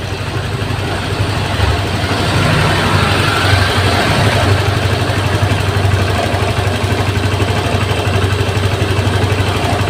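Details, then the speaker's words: Honda Vario 150 injected scooter after fixing the faulty throttle position sensor behind the fuel-hungry running: steady even putter about four beats a second with no stumbles or surges; smooth, stable idle. "kita hidupan lagi teman-eman langsamnya dia enak terdengar enak ya terdengar enak ya teman-teman Berarti untuk motor ini sudah normal"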